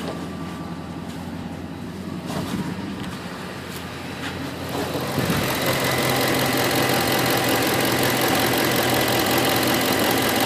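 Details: 2008 Ford F-150 5.4 V8 at idle: an even, quick tick at about three per second over the idle, steady and continuing; started about a week ago, source unknown.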